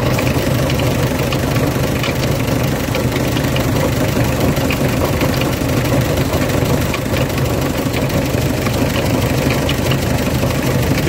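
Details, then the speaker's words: Mitsubishi L300 van idling with a fast, dry rattle from the water pump, whose bearing has broken up, making the engine sound harsher. "L300 bu çalıştırıyoruz devirdaim pompasından çatır çatır ses geliyor balanslı dönüyor zaten"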